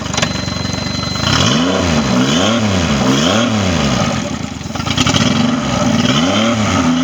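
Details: Triton Mercury 25 hp outboard, after fixing a no-start issue, final test run: runs cleanly as the throttle is blipped up and down, revs rising and falling smoothly with no misses or rattles; normal running.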